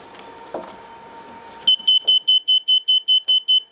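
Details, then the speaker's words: Mobility scooter that won't move despite a full charge: the controller beeps sharply, fast and evenly, about 2.5 per second, flashing fault code 7, meaning a slack or loose connection. "this off it will start to flash for the slack connections so it's a 7 so"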